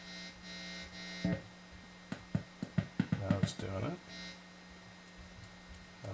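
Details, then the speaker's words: Ibanez Gio electric guitar plugged into an amp: a low mains-type hum drops out and returns with crackles and pops, intermittent noise when plugging in and playing; solder looks fine, the output jack itself is suspected bad. "not doing it there we go I think it's just a bad Jack"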